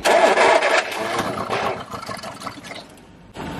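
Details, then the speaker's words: 1969 Mk1 Ford Capri barn find unrun for many years, revival attempt: loud burst as it catches and pops with flames, then sags and dies within seconds; fires but won't keep running, suspected fuel running out. "yeah yeah that definitely sounds like fuel doesn't it yeah we probably empty now ready"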